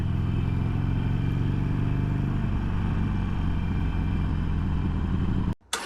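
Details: 2022 Harley-Davidson Sportster Iron 883, about 1600 miles, stock exhaust refitted in place of Rinehart 3" slip-ons; deep, muffled, even V-twin idle rumble, no knocks or misses: normal quiet stock exhaust note.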